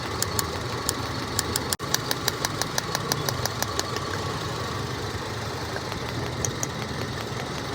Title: How to Check Ignition Coil Misfire? Engine Shaking Problem Fix 🔥 #ytshorts #trendingshorts